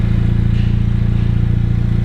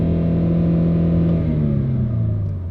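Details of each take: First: And it does make a decent sound. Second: Used car with 83,673 miles displayed but 134,661 miles in computer, live data out of spec: deep rumble as engine revs then settles, rough uneven drone underneath; shudder felt on revving, engine problems not pinned down.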